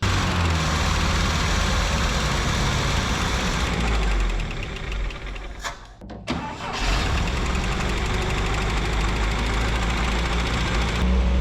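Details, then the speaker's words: Abandoned 1967 International Scout running after revival with the choke working and operated manually: a rough, busy idle with uneven light tapping, about four per second. The owner suspects a sticking valve again; not confirmed. "See, it's a little noisy. Almost sounds like maybe a valve sticking again or something."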